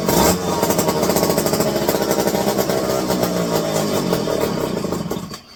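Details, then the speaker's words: Electric-start McCulloch 5-10E chainsaw, revived from seized, running a just-fitted carburetor: uneven blubbery two-stroke beat for about five seconds then dies, sounding rich and loaded up; owner suspects the carb is bad and flooding it out. "Needs to think in there that this carburetor might not be worth a shit. Cause it's flooding it out bad."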